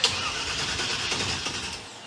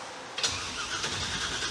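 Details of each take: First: 1963 Chevy Impala rat rod with big-block Chevy V8 and replaced starter: starter spins briskly but engine never fires; possibly no gas in the car, later found not squirting fuel and primed, then ran smoothly. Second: 1963 Chevy Impala rat rod with a big-block Chevy V8, fitted with a replacement starter ordered for a '97 Camaro after the first one stayed engaged. The starter bites straight away and cranks briskly and evenly with no grinding. Normal cranking.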